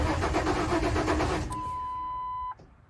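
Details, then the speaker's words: Ford Ranger pickup with crank no-start caused by a failed fuel pump: even, rhythmic cranking for about a second and a half that never catches, followed by a chime; starter and battery working but no fuel delivery. "and everything sounds like it's going great. The engine's turning over, it's cranking, it's doing everything it needs to do."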